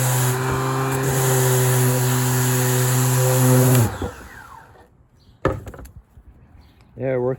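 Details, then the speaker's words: Milwaukee cordless sander after fitting a new brake, which had caused gouging and swirl marks: motor spins up to a smooth, even buzz with steady pitch, then winds down cleanly; normal running after repair. "like brand new that's all it was was the break you"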